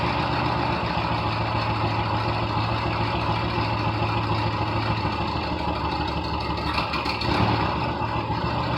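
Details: 1972 VW bus, air-cooled engine, first start in nearly 30 years (last registered 1990): low, steady idle keeping a constant pace without dying out, running on its own; normal idle.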